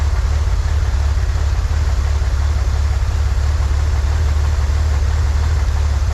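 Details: 1963 Corvair after vacuum leak fixed, new PCV valve, fuel mixture adjusted: smooth steady low rumble, no misses or stumbles, a touch fast; "that's the sweet spot," idle still a little high. Normal idle.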